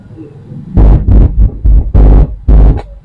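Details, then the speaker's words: Amplifier with a speaker connected sparks on one speaker channel: heavy low rumbling bursts, five or six in quick succession, from the bad channel, while the good channel runs normally; shorted output transistors, BD140 to be checked. "ini yang bermasalah tuh jadi kalau yang bagus tidak ada menimbulkan percikkan api seperti ini tapi kali ini ada Minggu hasil jadi permasalahannya dibagian sebelah ini"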